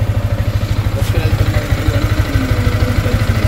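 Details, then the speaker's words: Sniper 155 motorcycle at 28,740 km, tappets already adjusted and tuned up, idling steadily with a light rattling clatter over each beat; noise traced to a loose manual cam chain tensioner. "Tapos ngayon, ito yung ingay niya talaga. Wala pa sir, galaw makina. Galaw na po. Pinadjust na po yung tapet, yung tune up gano'n. Okay. Medyo may kaingayan nga. Hanapin natin kung nasa ng problema."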